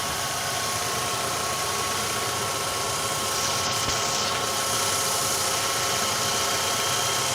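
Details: Ravon R3 after alternator belt and pulley grooves cleaned to cure a morning whistle: smooth, steady idle, even hum, no whistle or squeal; normal idle.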